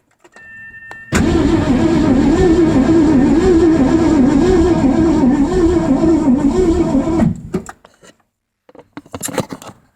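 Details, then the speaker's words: 1984 Mazda RX-7 with swapped 302 V8 and C4 transmission cranking six seconds at an even beat without catching; no-start with weak spark seen at a test plug, new plug wires and ignition wire rerouting planned. "so I don't know if you can see it there but that was uh some pretty weak spark"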